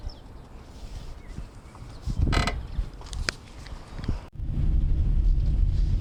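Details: Dry creak and sharp click over low rumble as the suspension moves, from a broken sway bar link; fixed by replacing both sway bar links.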